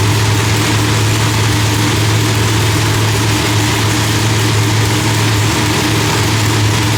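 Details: Deep, even, loud rumble at a steady low idle with no misses or pops, V8 running clean after the distributor trigger was changed from rising to falling; timing was about 6° off (32° set); new heads, idle still being fine-tuned.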